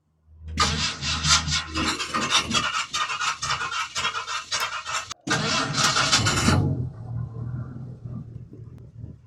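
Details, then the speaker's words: 1964 Ford F100 engine after being out of gas, restarted on old lawnmower fuel; fires after a few quick turns, short rev, then steady, even idle with no misses; normal idle. "Oh, yeah, man. She fires up smooth as heck now. We were just all the way out of gas, I think. Yeah, she runs nice. Sounds good."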